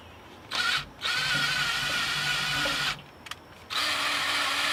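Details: Slightly used race engine that had sat a while, primed before starting with a PowerHouse oil pump primer driven by a drill: steady whirring bursts under load, no gurgling or air bubbling (bubbling means wrong direction); normal oil pump priming.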